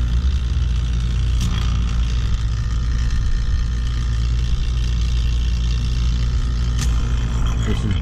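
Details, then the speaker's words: AC system after leak repair and dryer change, vacuum pump pulling down the system; deep, steady low drone, no knocking or rattle; vacuum pump running normally. "the hoses you can hear the sound of my pump going pretty deep"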